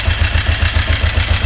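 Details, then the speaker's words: Kawasaki 454 motorcycle after starter motor replacement: low, lumpy idle with uneven pulses about nine a second that never smooth out; owner suspects the timing chain, not confirmed. "she's still running really rough because I think the timing chain is still the problem"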